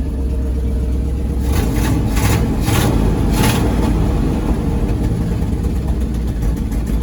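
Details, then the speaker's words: 1963 International Loadstar 1800 petrol engine at its first start in over 20 years: steady rumble with brief revs and no knocking, though oil pressure gauge barely moves; engine running smoothly without knock. "Oil pressure's not really doing anything, but I don't hear it knocking, so we must be good."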